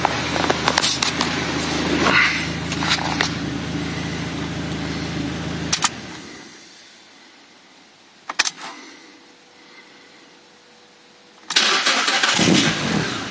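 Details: 1999 Mazda MX5 MK2 1.8 (UK): engine runs only while held on throttle, then dies and must be restarted; mass air flow sensor missing its hot wire, replacing the MAF restored normal start and idle; will not idle without throttle.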